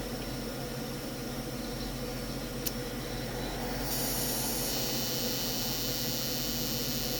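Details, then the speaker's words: FSP 300W PSU from 2007, likely from an Acer, running on mains with a noisy, unhappy 12 V rail: steady airy hiss, a click, then a louder brighter hiss; cause unknown, owner suspects bad capacitors. "so this is the 12-volt rail it is definitely not happy it would still run a pc like this but the pc don't think he'll really much like it"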